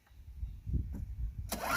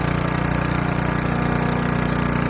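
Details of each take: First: Craftsman Eager 1 4hp chipper vac (987.799790), first start on a little fresh gas after priming, carb possibly needing cleaning: coughs, catches briefly, rough loose burst; owner primes more. Stalling after start, fuel-starved. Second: Craftsman Eager 1 4hp chipper vac 987.799790, auction flip, sucking up wet, gigantic leaves through a hose of about 10 ft. Steady engine drone with fan whoosh for eight seconds, then pitch sags as it winds down; working fine.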